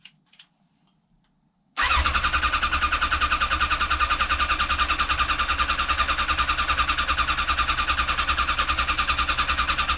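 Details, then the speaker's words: Restored, rebuilt 1989 Kawasaki ZX10 (ZX10B) before first start, HT leads disconnected: starter cranks engine evenly to draw oil, water and fuel into carbs, no catches; normal cranking. "Now I've just disconnected the HT leads because I'm going to turn it over a few times first, just to make sure all the oil, water, and more importantly the fuel is being dragged into the carbs."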